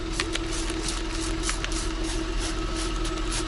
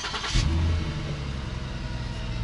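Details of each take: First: 2009 Lincoln MKS after a large rust hole in the exhaust was sealed with high-heat epoxy putty: a smooth, even idle with a steady hum and no puffing, ticking or hissing. A soapy-water test shows no bubbles; the exhaust leak is fixed. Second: 2009 Lincoln MKS V6, 197,274 miles: starts into a loud, deep rumbling idle like a Mustang, even louder under throttle when driving. Exhaust leak, to be sealed without welding using exhaust putty, tape or a clamp.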